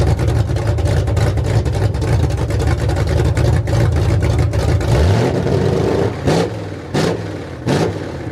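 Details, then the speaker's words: Ford F100 V8 first start after rebuild with new aluminum heads, open headers, Quick Fuel 600 cfm dual-feed carburetor for break-in, no cooling system fitted: loud deep burble revving up and dropping back cleanly, no valvetrain noise; normal running. "all right guys i'm pretty stoked that sounded freaking rad with the the open headers went on i was a little obnoxious"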